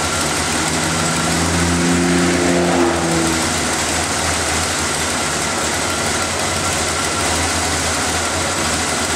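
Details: After refitting the intake's vacuum lines, air filter and cover, the engine is started to listen for hissing air leaks: smooth, even idle with a steady hum and no hiss or uneven beat. It runs cleanly with no sign of leaks.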